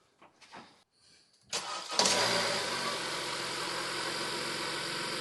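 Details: 2015 Honda CR-V four-cylinder (4th gen) after new Gates K070565 serpentine belt: starter cranks briefly, engine settles into a smooth steady idle with no belt squeal or chirp.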